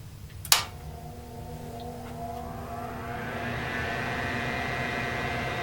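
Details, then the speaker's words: Tektronix 547 oscilloscope cooling fan after cleaning the blades and reinstalling: click at switch-on, then a smooth whir rising steadily in pitch over a few seconds and settling; fan spins up quickly and moves air. "And looks like it's coming up quickly. And it's moving air. Great."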